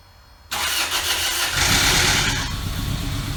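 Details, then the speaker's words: 2ZZ-GE engine swapped into a Toyota MR2 Spyder, start after reinstall: catches after a brief crank and settles into a steady, even idle with no misses or knocks; runs as it should. "Took it a second to get going. Sounds good. That sound surprised? Sounds just like it should."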